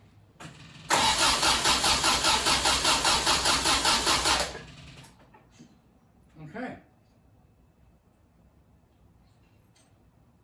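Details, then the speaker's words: 1974 MGB, first start attempt after at least 12 years unassembled; fuel pump running, choked with throttle, good compression and 50 psi oil pressure; starter cranks about four seconds with no firing, owner suspects the electronic ignition wiring, crank no-start. "not getting any uh action here i'm hoping i have the uh electronic ignition hooked up right"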